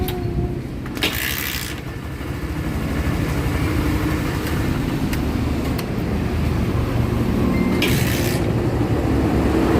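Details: Barako motorcycle, one year old, with a hard morning start that is fixed by spring adjustment. It now starts on one kick and settles into a steady, even low single-cylinder thump of about four beats a second, with no misses or knocks. Running healthy.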